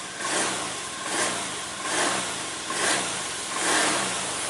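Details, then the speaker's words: Honda Beat scooter after its dropped battery (about 3-5 V) was charged about two hours to 12 V: starts cleanly, then runs with even buzz swelling about once a second with throttle blips, no stumbling or misfire; normal start and running. "wes nyala teman-teman. Jadi berarti posisi aki sudah terisi ya, arus 12 volt."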